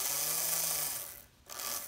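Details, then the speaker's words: Restored, once-stuck motor of a Märklin SK 800 toy car (about 1945), bench-tested with power to the pickup slider and the voltage dial turned up. The reversing electromagnet engages; a smooth high whir eases off, pauses, then spins up in reverse. Normal motor running. "it looks like we're running pretty well there so now the unit reversing unit has engaged and so we've reversed"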